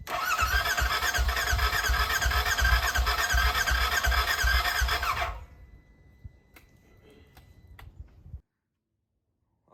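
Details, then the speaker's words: Burnt RZR rebuilt with new wiring harness, fuel line, fuel rail and sensors: starter cranks steadily near three beats a second for about five seconds without firing; owner suspects broken battery connector or nearly dead battery. "guys as you saw there it wanted to start up but it didn't unfortunately"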